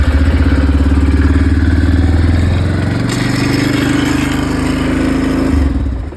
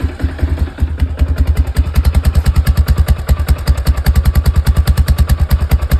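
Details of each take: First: Quad carburetor adjustment, cold engine on choke: idle wavers unevenly, sags midway and recovers; idle screw turned the wrong way made it worse, needs turning the other way. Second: Quad after carburetor idle screw adjustment: steady, even single-cylinder thump at idle, about two and a half beats a second, no misses or clatter; running fine now.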